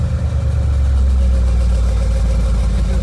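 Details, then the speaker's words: Rebuilt wrecked 2022 Mercedes G63 V8: deep, steady idle with an even rumble and no choppy tractor-like sound or clear ticking after the fix; engine sounds smooth and healthy. "but it sounds way better yeah I think that's it it doesn't sound like choppy like a tractor"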